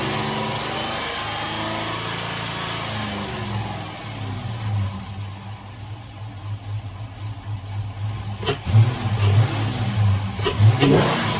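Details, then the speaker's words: HEMI V8 idles then revs; a light, fast tick quickens with rpm and persists after long-tube headers were fitted. Lifters, trays and rollers were inspected and found good. Valvetrain tick of unknown cause. "with all the parts that I've thrown at it, the ticking is still very much there."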